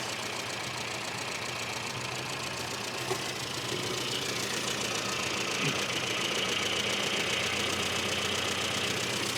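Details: Mini idling at 1,000 rpm during fuel and timing tuning; was running rich, leaned out so the idle picks up; small petrol engine ticking over at a steady, even idle with a bright, busy top end; normal idle.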